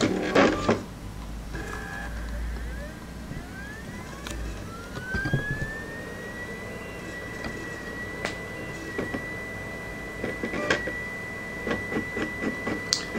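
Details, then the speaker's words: Polaroid portable USB Blu-ray drive loading a disc: a thin whine sweeps upward as the disc spins up, then holds a steady high tone with faint clicks; noisy drive spindle motor. "I'm going to shut up and you're going to listen to the operating noise of this Polaroid portable Blu-ray drive just to just so you can get a good idea of what you'd have to deal with if you got this thing."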